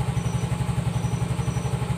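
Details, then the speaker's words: 2018 Yamaha Mio S fuel-injected scooter that died suddenly with speedometer screen going fully dark, now restarted after repair: even low putter about ten beats a second, steady healthy idle. Advised checks: fuse, battery, ignition switch wiring behind front shield. "Oke, ia hidup. Sepeda motornya langsung menyala. Oke, jadi berhasil, teman-teman."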